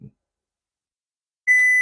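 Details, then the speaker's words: Gree DC inverter AC outdoor PCB with E6 error: steady high-pitched multimeter continuity tone across the microprocessor supply capacitor; microprocessor fully shorted, so the SMPS supply won't switch on. "तो macro processor जिसका हो गया शॉर्ट, इसीलिए जो SMPS supply है इसकी, वो जो है वो ऑन इसको नहीं होने दे रही, क्योंकि आगे से ये शॉर्ट, फुल शॉर्ट है।"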